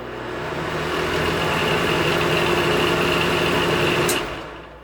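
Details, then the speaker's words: Noisy bathroom vent fan after cleaning, repair and reassembly: a steady, even hum with a soft whir and no rattle or buzz before winding down. The fan no longer rubs on the housing. "that's perfect it's not rubbing"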